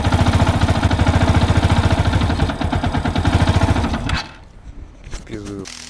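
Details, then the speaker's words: Yamaha YBR 125 single at idle, knocking after revving: a heavy, regular knock about three to four times a second, then the engine stalls. "Стук двигателя на перекладке после перегазовки. Ладно. Мотор застучал, надо вскрывать."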